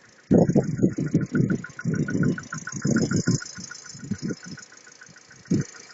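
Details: VW EA211 MPI 1.6 90 hp, about 9874 km, factory VW oil, morning start after sitting outside overnight at -6.5 °C following a 380 km trip; uneven knocking clatter easing after a few seconds: cold-start engine knock, cause unknown.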